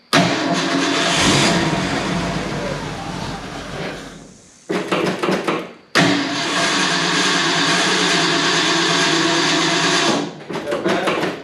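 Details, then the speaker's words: 1970 Ford F250 dually, 302 V8, just reassembled top end, idle mixer screws 1.5 turns out: catches and runs ragged, dies, restarts and stumbles; runs rough, owner suspects idle mixture loading up rich or fuel starvation, not confirmed. "No, it didn't like that. May have to hit those idle mixer screws as well. I just want to get it running smooth without loading up."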